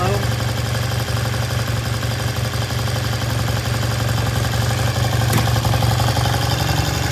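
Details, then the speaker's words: 1973 Triumph T100 twin, freshly restored, just kick-started: strong even exhaust beat, crisp throttle response, no knocks or misses; idle left slightly high for now, healthy running (bike later found leaking oil from previously split cases). "that sounds good we're going to leave the idle just a little bit High it can be turned down later"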